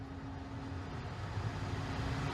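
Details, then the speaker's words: New 2021 Tesla Model Y Performance, parked, cabin: low steady hum with faint constant tone under fan noise, louder as blower speed rises, vibration felt in steering wheel and floor; source unconfirmed. "once again it just keeps on getting louder the more air you turn on now if i put the air up more it gets louder"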